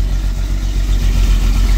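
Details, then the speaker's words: Jaguar Series 3 V12 with fuel tank problems, running from a temporary tank with a still-whining, possibly dirty fuel filter: loud lumpy idle with uneven pulses, stumbling rather than smooth; rough running, cause undetermined. "got us started uh she's running pretty rough"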